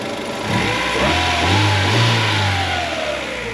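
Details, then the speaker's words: 1998 Acura Integra GS hatchback, B18B1, after a tune-up (plugs, wires, thermostat, cam seal plug, distributor O-ring): blipped revs rise and fall smoothly with no ticks or knocks and settle back cleanly; runs quiet, though the owner feels it isn't breathing well. "And I gotta tell you, man, I'm almost kind of glad that I took it to this shop because all the work is warranted, but this thing is running quiet."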